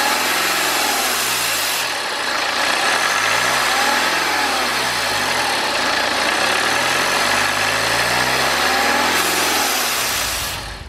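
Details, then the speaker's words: BMW N47 diesel after engine-out timing chain and gasket work, bonnet open, helper revving into boost around 2500–3000 rpm: sharp hiss rising over the engine. Boost leak in the intake or intercooler piping. "okay so we can see exactly what our problem is now we can see that we have an air leak we have a boost leak"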